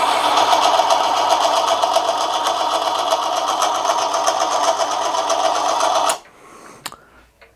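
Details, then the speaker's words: Manson lathe turning a 1/2-inch brass bar, heavier depth of cut: fast buzzy whirr with busy rattling edge, strained throughout then cuts off; motor labouring and struggling at that depth, though it still cuts the brass. "but it's certainly cut the brass"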